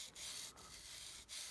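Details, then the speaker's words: Nikon 70-200mm f/2.8 lens dropped in the sea, stopped working; dry, gritty rasping as the barrel is turned during disassembly, salt crystals grinding inside the zoom mechanism. "looks like wow there's a lot of i can hear the grinding sound"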